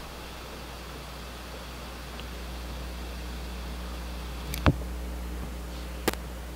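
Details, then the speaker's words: Pioneer GM-D9601/GM-D8604 class-D amp taken out of the car and wired directly to the battery, gains down, low-pass 240, RCAs unplugged, lapel mic on the speaker: steady hiss and hum with two sharp pops. Hiss rises with gain, cause unclear. "so on this one it is possibly because the frequency of that hiss is up in the range where this it amplifies it"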